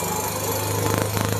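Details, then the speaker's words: Yamaha Mio M3 scooter that won't hold idle, sometimes revs up by itself: coarse, uneven, lumpy idle beat like a racing bike instead of a clean putter. "motornya tuh langsamnya itu suaranya Cukup 1 Gus ya dan suara mesinnya sangat kasar bosku"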